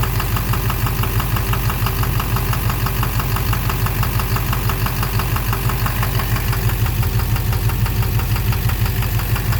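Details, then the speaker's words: 2009 Silverado 3500 Duramax LMM diesel dually, 59,900 miles, idling: steady evenly spaced knock keeping time with engine speed; owner suspects bottom end, possibly a pulley, cause unknown. Oil analysis shows no abnormal wear; intermittent since 57,500 miles. "Sounds sort of like the bottom end. I don't know. Something."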